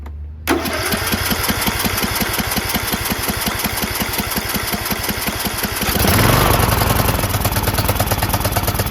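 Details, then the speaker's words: John Deere LA110 lawn tractor, rebuilt Briggs 19.5HP engine with new carb, claimed seized but only hard to turn: catches almost immediately, even low putter, picks up smoothly with throttle; runs great after rebuild. "How stoked am I? Are you guys stoked? I rebuilt this engine. Can you believe it? Runs great."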